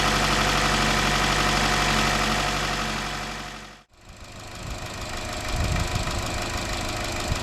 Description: 2013 Chevrolet Cruze 1.4 Turbo engine rattle caused by loss of oil pressure in valve lifters oil galleries due to loose timing chain upper guide.